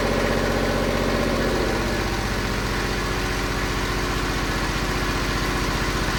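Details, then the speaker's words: Kubota ZD28 zero-turn mower, D1105 diesel, fuel filters changed and injectors cleaned, at slowest idle: steady chugging about four beats a second, then note sags and roughens as it drags down; still bogs at idle, owner suspects fuel starvation, no leaks found. "There you go, it's doing it. You hear the engine trying to boggle down. So, I still have the problem."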